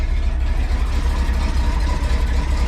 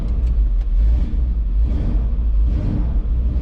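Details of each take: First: Ford F150 at idle after exhaust header reinstall, sat about three weeks; smooth even low rumble, no ticking or puffing at the manifolds, exhaust now exiting the tailpipe not the header; normal idle, header leak fixed. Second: Ford F150 7.3 after glow plug relay replacement and exhaust leak repair, unrun for about three weeks; deep rumble with uneven surges and a stumble, exhaust leak gone; rough idle, owner suspects debris in fuel delivery.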